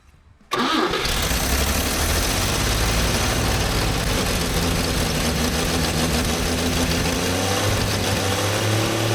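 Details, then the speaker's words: 1954 Chevrolet inline six revived after two decades sitting, stiff throttle spring; catches and settles into even, fairly smooth cold idle with steady low thrum, no knocks; normal idle. "why is that one of the best sounding inline sixes I've seen in a very long time"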